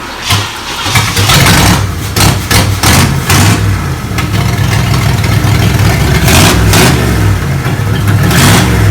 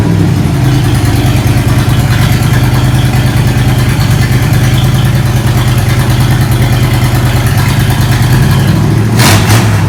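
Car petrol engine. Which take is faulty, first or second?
second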